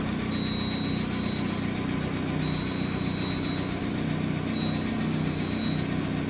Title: Mahindra XUV 700 alternator bearing noise problem